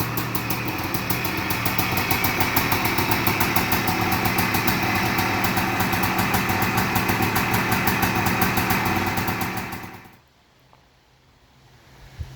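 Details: 1978 Suzuki PE250 two-stroke after year-and-a-half rebuild, first start: crisp even popping at idle for about ten seconds, then shut off; runs clean, normal idle.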